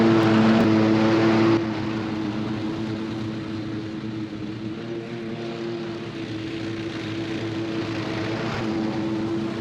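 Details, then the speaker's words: 26 HP Kohler V-twin lawn tractor mowing tall grass at full throttle after new ignition coils fixed a long intermittent one-cylinder misfire; steady, even drone under load with no stumbles or skips; didn't miss a beat, idle as smooth as ever. "so she went through all that Tall Grass at Full Throttle and didn't miss a beat and the idle's nice and smooth it's as smooth as it's ever been"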